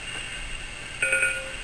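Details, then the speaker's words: USB-to-serial cable for a Uniden Bearcat BC796D scanner plugged into a PC: three short, flat monotone beeps instead of the normal rising two-note connect tone. This is a USB device error; the PC failed to recognise the device. "that's three beeps three monotone beeps when I unplug it sounds normal"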